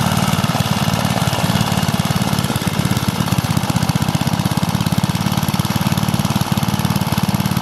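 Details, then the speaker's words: Suffolk small engine running on E5 petrol: rapid, steady single-cylinder popping with a strong low beat and no stumbles or misses. It runs smoothly. "It's running on E5 petrol, very nice."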